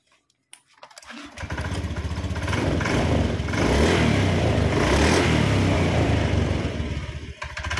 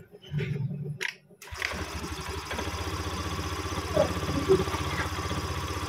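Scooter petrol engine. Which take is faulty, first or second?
second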